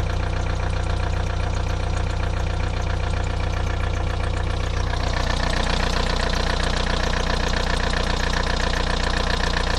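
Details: VW TDI 90hp diesel at idle: steady, evenly spaced ticking two to three per second, present for five months since the day after a 600 km trip. New lifters, injectors changed, oil pressure OK and different oils tried; owner suspects wrist-pin play.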